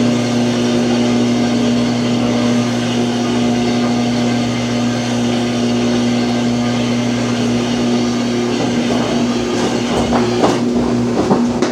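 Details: Samsung washer in spin cycle that will not spin properly: motor hum builds, then irregular thumps and clatter as the tub shifts around; spin won't complete.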